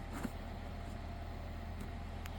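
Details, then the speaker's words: Diesel heater after a revamp with a new fuel line and a new quiet fuel pump, first start attempt: a steady low fan hum with no burner roar. The blower spins but it doesn't light; the owner reckons a fuel supply problem, and an A7 error appeared on a later attempt. "So it's not fired up, but I think she's spinning. Okay, I don't expect it to fire up straight away."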